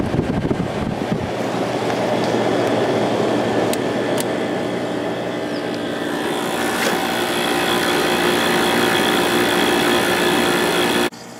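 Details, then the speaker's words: GE (Fedders) 10k BTU window air conditioner after cleaning the condenser coil, evaporator and base pan: smooth, steady rush of air with a low, even compressor hum, no rattles or squeals; normal running. "This thing has a real nice sound to it."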